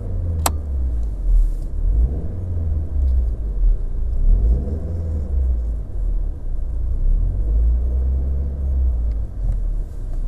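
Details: Opel (Vauxhall) Vectra B, Z16XE 1.6 16V: low, lumpy idle with an uneven stumbling beat; ECU fault code P0304-00, cylinder 4 misfire detected.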